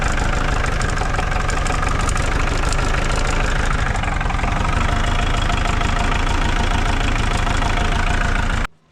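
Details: New Holland TC45DA compact tractor diesel after a fuel filter change and bleeding: steady, even, unbroken diesel knock at idle for several seconds before shutdown; it runs cleanly.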